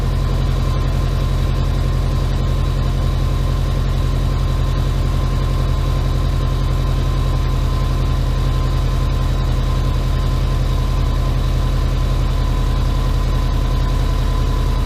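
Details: Subaru Impreza boxer engine rebuilt with SOHC heads, first start after over 2 years: steady even low idle hum at about four beats a second, no knocks or misses; running nice, idle just dropped. Normal idle.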